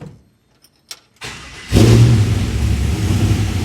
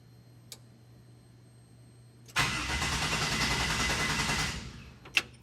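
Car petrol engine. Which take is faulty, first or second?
second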